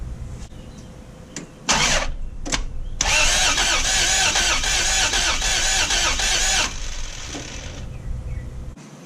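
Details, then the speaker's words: 1989 Toyota FJ62 barn find, plug wires off, cranking for oil pressure and compression test: starter spins in short bursts at even, unlabored speed with no drag. "i figured i'd do double duty and while cranking it to see if there's oil pressure i'll compression test it again here goes"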